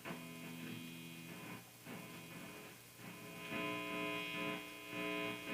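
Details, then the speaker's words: Squier Jagmaster Vista Series guitar through an old Fender Tremolux amp after cleaning a scratchy pot: constant low mains buzz with a bright edge under strummed chords; suspected ground problem, partly the old amp and player position; mains hum. "Sounds like got a grind problem too. We may have to take a look at that. A lot of it though, you know, is just this old amp, depending on where you're standing at next to it."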